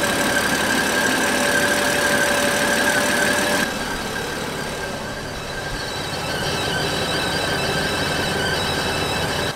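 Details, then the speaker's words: BMW M4 with the S55 engine at idle: a loud, steady, high-pitched squeal like a slipping belt, caused by the PCV valve built into the valve cover failing closed and building crankcase pressure; removing the oil cap stops it; fixed by replacing the valve cover. "it was this loud squeaking noise almost sounds like a belt and essentially what happens is when the pcv valve fails you get extra pressure build up in the engine"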